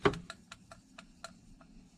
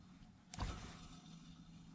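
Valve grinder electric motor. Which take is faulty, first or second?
first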